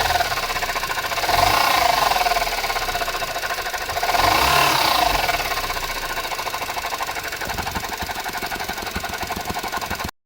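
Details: Suzuki Jimny JB64: a thin whine climbing and fading with each throttle blip over engine rattle; faulty alternator, replaced under warranty with a new one.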